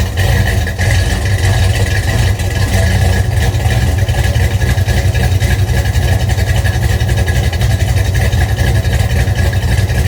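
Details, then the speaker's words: 1971 Dodge Demon with rebuilt 318 V8 (273 heads, replaced cam, Edelbrock intake, Holley 750), cold start at 30 degrees: loud lumpy idle with sharp ticking puffs each firing pulse; header leak from cheap kit gaskets, to be replaced. "I do have headers are leaking. I used those cheap gaskets that came in the kit. I'll be replacing those with some better ones that'll take care of that."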